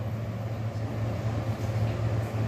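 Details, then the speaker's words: Newly installed exhaust fan on a wall switch, running with a steady low hum and even airy rush, no knocks; quieter blowing outward, louder blowing inward; normal running. "Hai ini ngebulnya keluar suaranya agak pelan tapi kalau ngebulnya ke dalam lebih kenceng suaranya"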